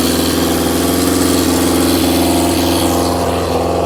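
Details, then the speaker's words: Carbureted engine with vacuum-fed carbs, no air restriction, running on old fuel: uneven, lumpy idle with a loose irregular beat around three per second; rough running from unrestricted intake air. "obviously it's going to run like Hammer chip because there's no um air restriction on it at all"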